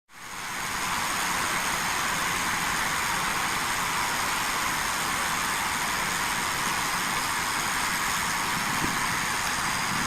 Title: Hissing sound of Transmission Lines, Corona effect in Transmission Lines